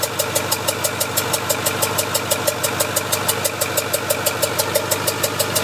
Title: Ford F450 6.4 Powerstroke popping noise